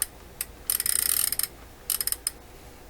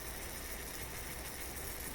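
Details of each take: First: Toshiba RC-803F clock radio whose flip clock stopped working. The number mechanism is turned by hand with crisp, light ratchety clicking and no catching or grinding; it turns freely with no lubrication problem, and the fault is thought to be in the clock motor. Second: Toshiba RC-803F flip clock radio's clock motor, powered on during restoration, gives a steady gritty buzzing whirr with low hum as it picks up speed, from a worn-out bearing.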